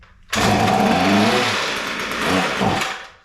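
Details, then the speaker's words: Non-running Ryobi line trimmer, throttle held wide open with a short shot of spray in the intake: starts on the first pull, high buzzing rev about two seconds, sags and dies; spark and compression confirmed, fuel problem suspected (primer bulb and fuel lines needed). "oh that was pretty cool started on the first pole all right so for the start we know that we have spark it's sparking at the right time and we have enough compression to make this run so we have some fuel problems"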